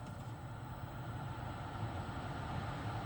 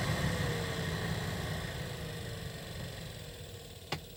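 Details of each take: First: 2013 Toyota Highlander 2WD, 117,000 miles, after blower motor replacement: steady low whoosh of the cabin heater/AC fan at highest speed, even with no clicking or ticking; normal blower operation. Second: 2013 Toyota Highlander 2WD, 117,000 miles: the cabin heater/AC fan whirs with a faint repeating click, about three a second, as it slows; the blower motor in the passenger footwell is failing and needs replacement.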